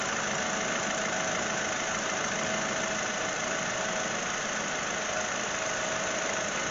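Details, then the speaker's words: 2022 Honda Civic 2.0-litre four-cylinder started right after an oil change with thin 0W oil to fill the filter: even idle with a light clock-like tick over a steady hum, running smoothly; normal idle. "look at that it sounds like a clock tick tick tick tick tick well that sounds nice sounds like all four squirrels are running perfectly"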